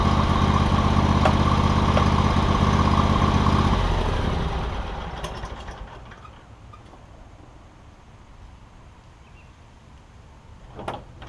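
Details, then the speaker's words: John Deere X300 lawn tractor after fixing no-spark, running and deck issues (parts listed: ECM, carburetor, deck belt, blades), spindles greased; even, steady engine beat for a few seconds, then smooth wind-down, no knocks or misses; normal running. "let's get out here and Crank It Up drive it I'm sure the deck the deck should run I've greased the spindles as well"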